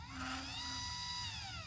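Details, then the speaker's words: Celestron CGX mount RA/DEC axis: high buzzy motor whine bending up and down as it slews, usually in one direction only; loose worm motor mount screw, fixed by 1/16-turn adjustments. "so it's still it usually only goes in one direction too yeah so that sounds terrible"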